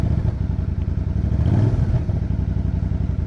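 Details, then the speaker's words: Motorcycle that stalled after running out of gas, restarted on reserve: low, even thumping beat holding steady with no stumbles or surges; idling cleanly. "no I was out of gas now okay now it's idling"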